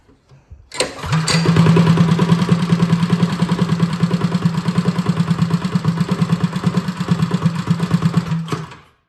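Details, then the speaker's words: Freshly rebuilt Predator 212 single on a Motovox minibike, good compression, first start after build: fires on first pull and settles into a slow lumpy thump, idle slightly low, seen as a good sign. "Little low of an idle. That's a good sign, though."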